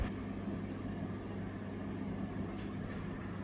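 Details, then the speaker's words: Restored concrete mixer with Lister diesel, after shimming between drum and mounting plate to fix friction noise: steady even diesel chug, no gear noise even with more weight in the drum. "Now that sounds much better. All I hear is the beautiful sound of the engine. With more weight on it, no noise."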